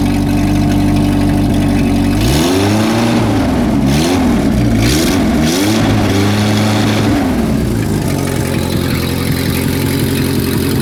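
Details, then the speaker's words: Renault R10 first started after sitting over 20 years, after new points, a repaired broken points wire and a cleaned carburetor; steady even idle with clean throttle blips, no smoke, possible exhaust gasket leak suspected; normal idle. "what a great little engine this sounds like it needs a an exhaust gas turd gasket anyway no I'm happy with that"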